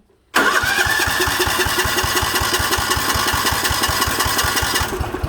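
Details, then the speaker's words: 1960s/1970s Sears 10/6 lawn tractor, choke accidentally left on: lumpy, uneven firing at about eight pulses a second that tries to catch, then sags and fades; running too rich. "It is running really rich because I forgot to turn the choke off. That's on me."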